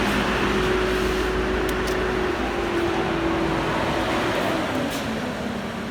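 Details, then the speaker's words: Ford Mondeo Mk5 taxi just after starting. The radiator cooling fans come on at full speed with a loud, even whoosh over the idle, because the active grille shutter mechanism behind the bumper is damaged after a collision. Constant full-speed running risks fan burnout. "you can hear at the moment is the engine that is the cooling fans that just come on bulldog"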